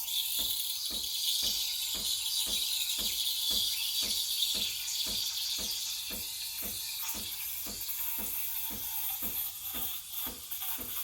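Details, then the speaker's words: Breville Barista Express BES870 steam wand at full pressure: steady high paper-tearing hiss with light even pulse, showing the milk is being aerated properly before the jug is raised to spin a vortex; normal aeration. "you know you're aerating me if you hear the hissing noise"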